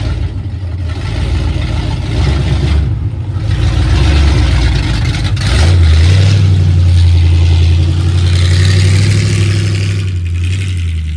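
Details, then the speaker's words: 1976 Ford Highboy truck V8 after engine reinstall, untuned, no vacuum gauge used: uneven, lumpy beat pulling off idle under load; off-idle stumble from carburetor transfer slots opened too far, later fixed. "I hadn't even stuck a vacuum gauge on it to try and tune the idle in at that point, and I had the transfer slots open way too much, so I had a really nasty off-idle stumble."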